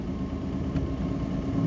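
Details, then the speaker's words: 1949 Nash Ambassador Airflyte Special Super barn find, restarted for its first drive in 44 years after brake, fuel, engine and chassis repairs: soft, steady even idle, no knocks or ticks; healthy. "Again, I'm going to just turn the key, hit the foot starter. She purs."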